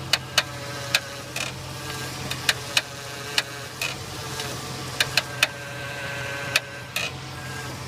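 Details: 2002 Jeep Grand Cherokee with a Rough Country X-Flex 4-inch lift kit: sharp, irregular creaks and pops as the steering wheel is turned, over a low idle hum.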